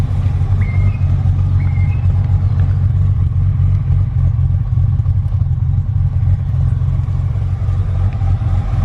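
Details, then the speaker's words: Holden VS Commodore ute, manual, idling: low choppy idle with an uneven loping beat about four pulses a second, otherwise steady; lumpy cam idle, engine otherwise healthy though it has a leaking front main seal. "Got a bit of a lumpy cam in it. I don't know if you can hear it"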